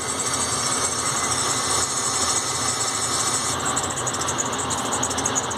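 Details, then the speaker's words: GM Workhorse American RV hydraulic AutoPark parking brake pump heard outside when the brake is applied: steady high electric motor whine that never shuts off; stuck pressure switch keeps the pump running. "so it's making a noise when you put the handbrake on actually that's a little reverse go outside and listen to it come outside and listen to it so it's coming from this motor here"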